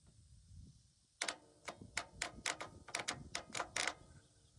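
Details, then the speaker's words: Starter solenoid on a Cub Cadet XT1 Enduro riding mower clicking crisply in irregular bursts when a battery positive jumper lead is touched to it; this is the old solenoid, melted, being replaced. "You take the other positive side and all you got to do is touch it to that. And you can hear it click. Hear it click."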